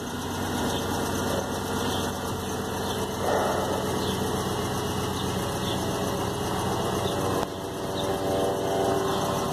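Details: Jeep 5.7 Hemi V8 idling, fast sharp ticking and puffing buzz on the firing rhythm, louder cold: exhaust leak from a broken upper rear driver-side exhaust manifold bolt; bolt set and gasket to be replaced.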